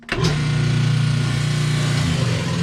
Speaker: see this isn't spinning at all now this is a no spin situation